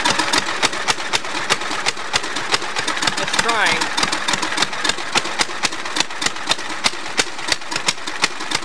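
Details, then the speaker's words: Allis-Chalmers tractor with swapped engine, original engine having blown a valve after governor removal: sharp, ragged popping about four per second with uneven gaps, then the engine stopped with a squeal; found very low on oil. "try not bad but it was running and then uh the motor just stopped made a squealing noise like it ran out of oil"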